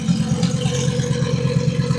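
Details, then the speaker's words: Twin-turbo 1000+bhp Lamborghini Huracan on MoTeC, broken at Supercar Fest: choppy, stumbling idle with irregular pulses and clatter over low drone; running badly from a failed high-pressure fuel pump. "It's running like a bag of shit, but can you hear that? Yeah? So it's that fuel pump. It's the high pressure fuel pump."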